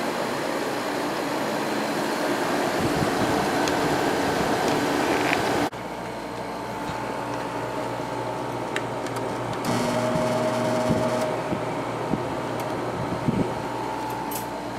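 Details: Sharp 10,500 BTU window air conditioner, heard from outdoors with compressor just started. Steady low hum with smooth fan whoosh, no rattles or knocking; compressor and fan running normally.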